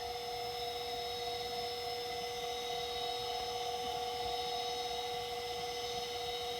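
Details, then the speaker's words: Macintosh PowerBook 140, reassembled after re-capping the LCD panel, powered on: a steady, thin high whine over a faint hum as the hard drive spins up and runs smoothly; normal hard drive spin-up. "Alright, the hard drive spun up, and it is"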